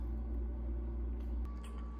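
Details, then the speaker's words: Garbage disposal in a rental house, switched on: steady low electrical hum with no spin-up, motor nut not turning; motor energized but stalled/bound, unit needs replacing. "So when I turn on the switch, you can hear it trying to buzz, but nothing is actually happening down in the sink. You can see the nut for the motor down there. It should be spinning or trying to turn."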